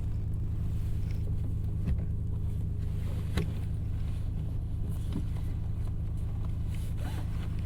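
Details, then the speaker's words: 1995 Nissan Skyline GT-R R33 V-Spec, right-hand drive, 5-speed manual, heard from inside the cabin just after start-up: a low, even hum at constant idle with seatbelt clicks and cabin rustle; very smooth, healthy idle. "Let me get started up. This thing smooth, very smooth. Super shocked when I first cranked it up."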